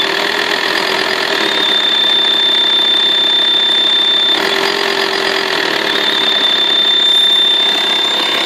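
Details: VW T5 2.5 TDI AXD diesel, 240,000 km, A/C compressor belt removed: a thin, steady, constant-pitch high whistle at idle, only when the engine is hot. Source unknown; turbo suspected.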